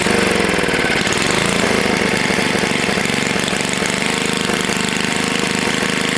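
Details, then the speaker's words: Long-sitting Tecumseh HS40 small engine restarted after carb cleaning, one jet still uncleaned, held at low rpm on purpose: single-cylinder putters at a low even idle, steady firing, no misses or knocking; normal low idle. "usually when i awaken engines i don't like them to be at full blast i like to let them be low rpm for a little while"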